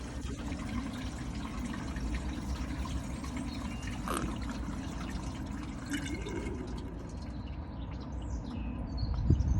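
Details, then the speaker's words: BMW E46 M3 convertible trunk drain, left and right sides, as a jug of water is poured in and gurgles away freely with no backing up; drains clear and water exits under the car. "that's the left hand side on the right hand side the same thing here we go just so you hear that um gurgling noise here that's what you want to hear all the water's gone"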